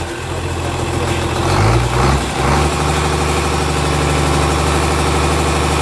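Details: Komatsu S6D125 diesel on test run after general overhaul (broken No.5 piston, spun No.4 conrod bearing; crankshaft, liners, pistons, conrods, bearings replaced; turbo repaired, FIP and nozzles calibrated); brief blip then deep steady even idle, no knocks or misses; normal idle.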